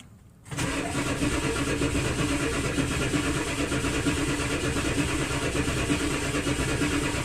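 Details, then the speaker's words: Ford 7.3L OBS diesel first start after injector O-ring replacement for oil in the fuel: a steady, even cranking drone with no firing for seven seconds; a long crank is expected while oil pressure builds. "it might take a little bit to crank up but eventually it'll crank up it just has to build uh oil pressure and the oil has to circulate around"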